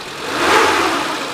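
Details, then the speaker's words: 1995 Suzuki Carry Futura Realvan DRV, 1300 cc petrol engine, no oil leaks, heard with the seat open: starts instantly, then an even, smooth idle that swells briefly with throttle, no knocks or ticks. "Nah, kita starter mesinnya langsung jreng. Stasionernya juga langsamnya enak."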